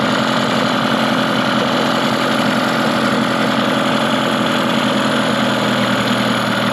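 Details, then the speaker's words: Mercury 15 hp two-stroke outboard built from two non-running motors, good compression and spark, freshly running: even buzzy drone with no stumbles but a fast idle, to be lowered at the throttle arm idle screw beside the carburetor. "it sounds a little fast right now so i might adjust just the throttle and idle speed on the throttle arm it's located on the side of the carburetor"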